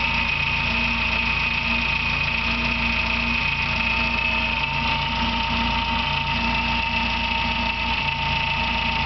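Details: Engine at idle with a continuous steady bird-like chirp, two years old and louder now; alternator bearing and timing belt tensioner replaced without effect, persists with alternator belt removed; owner suspects water pump, source unfound.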